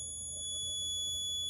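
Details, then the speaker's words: Daewoo Nexia N150 2012, 219,000 km, idling: steady high-pitched whistle from the heater core, appearing with the heater fan off; it fades when accelerating and stops at engine shutdown. Heater core replaced two months earlier; started with cold weather; cause suspected. "Выключаем слышите свист это свист вот с радиатора печки"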